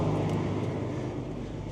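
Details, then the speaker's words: Old TR96 combine, diesel, being revved soon after starting: a heavy, smooth, even roar with no knocking or stumbling; engine RPM control works and there is no shortage of power. Normal revving. "And the RPM sure works. No shortage of power."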